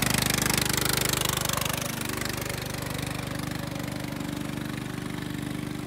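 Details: Restored Jacobsen Chief 800 with new carburetor, after fitting a guard to keep the belt from flying off: single-cylinder engine thumps at an even quick beat under the deck's drone, holding steady speed; running fine.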